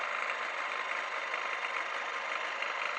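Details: Honda NSR 125 two-stroke after exhaust gasket work, warming up outside on old gasoline: even, buzzy idle holding steady with no misses, knocks or blowing sounds. Normal idle.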